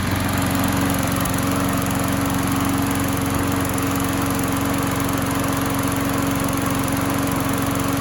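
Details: Craftsman single-cylinder mower that popped but wouldn't start, run after a flywheel key replacement, primed and left running: steady, even drone with constant tone, no misses, pops or surging; normal running.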